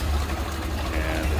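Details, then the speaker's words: 1930 Ford Model A 5-window coupe, 201 cu in L-head inline-four running on the auxiliary fuel tank, hood half open: low, deep, even putter at idle with no skips or knocks, purring smoothly. "listen to it, look at it purring right along."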